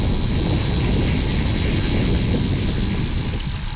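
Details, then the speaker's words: Motorcycle with cheap AliExpress 200mm disc brake and caliper set fitted to a 10-inch front wheel: rough, steady scraping grind while the brake is held until stopping, silent when released; cause suspected, not confirmed. "ブレーキをかけたら止まるまで音が鳴ります。"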